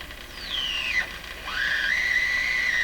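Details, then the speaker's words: Sony TR-712 transistor radio after electrolytic capacitor replacement, fed from signal generator at top of its range expecting a 1000 Hz tone: whistle gliding from about 3 kHz to near 2 kHz over static; likely heterodyne interference, overload suspected. "we should hear a 1000 hertz tone coming out here that's really quite bad let's go a little higher hmm it's too much for the little radio"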